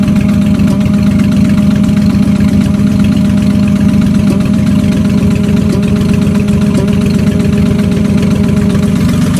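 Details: Mustang at idle: quick steady ticking knock over the low rumble; owner unsure whether rod knock or exhaust leak.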